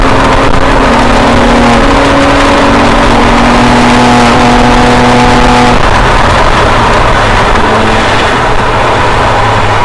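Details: 2007 BMW E90 335i N54 on track, lap 11, with custom transmission tune made to cure a shift flare/misfire: turbo engine pulls hard, pitch climbing then stepping cleanly at each full-throttle gear change, no flare.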